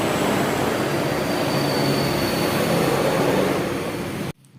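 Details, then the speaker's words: Honda Vario 110 carburetor scooter after repair: steady, even running with a smooth airy hum and no stumble before shutoff; the sputter is gone, having been caused by no charging and a flat battery. "Oke, dan ini untuk bagian pengapiannya sudah sip, sudah nggak berebet lagi."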